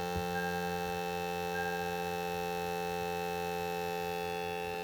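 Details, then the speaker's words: Toyota 4Runner: steady electrical buzz from behind the dash near the cabin air filter, caused by the HVAC air mode actuator module; unplugging the correct one of two modules stops it as a temporary fix. "sounds like a buzzing sound"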